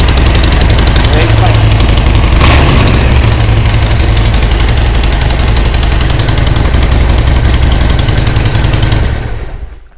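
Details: Harley-Davidson Sportster 1200 started after a new ignition coil and a replacement front gas tank bolt: a loud, deep, lumpy potato-potato beat at fast idle, firing on both cylinders with no misses. It starts and runs fine.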